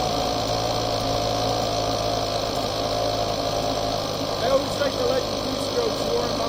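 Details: Husqvarna two-stroke chainsaw after fuel line replacement: holds steady even buzz with no misses or surging, faint voices in background; running normally.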